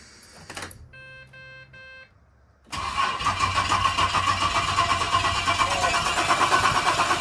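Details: Ford Falcon AU skid car revived. It had only clicked with no power until thinned battery terminal wires were pushed closer. A couple of chimes, then the starter spins and the engine catches and settles into a steady, even run; it now starts fine.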